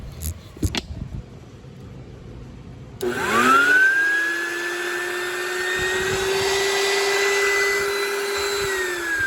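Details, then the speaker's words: Oreck XL9100HG vacuum motor test after disassembly and clog cleaning of jammed fan (previously grumbly): spins up with rising whine settling to steady even pitch, no scraping or rubbing; sounds healthy. "So now just to plug it back into the handle, we're going to see if this motor sounds okay."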